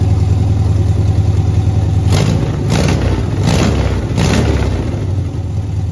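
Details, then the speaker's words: 1971 VW Beetle, parked 23+ years, on a new carburetor and electronic ignition conversion, running well once the correct coil was fitted: deep, even rumble with quick throttle blips that rise and settle cleanly; normal running. "Way better. Sounds good too, doesn't it? Mm-hmm. Really good. I guess the ignition system didn't like the coil we had on, I guess."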